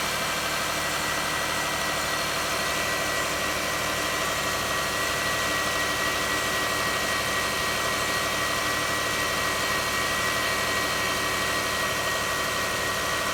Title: Lexus rx300 ...whining sound alternator